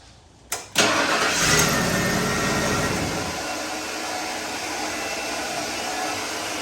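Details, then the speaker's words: 1995 Ford F150: engine fires and idles but a thin steady whirring whine continues on top; starter motor staying engaged. "turn off well that's not good that's your starter staying on yeah that's not good it's not good turn the key off"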